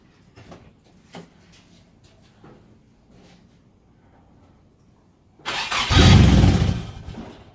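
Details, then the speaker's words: Nissan Silvia S13 first start attempt after fitting a new starter motor: a few quiet clicks, then about two seconds of steady consistent cranking, but it never fires; cranks, no start, ignition barrel suspected of playing up. "okay we're getting you we've got consistent cranking now which is really nice I'm still not firing"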